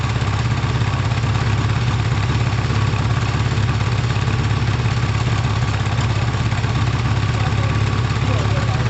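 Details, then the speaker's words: Kawasaki ZL600 with the exhaust wrap smoking: a deep, steady idle with a slightly lumpy, uneven beat and one cylinder seemingly weaker, suspected to be from the carbs not being synced. "uh and the the crabs aren't tuned they're not balanced actually they're not synced so if it sounds like that unsynced what's it gonna sound like synced"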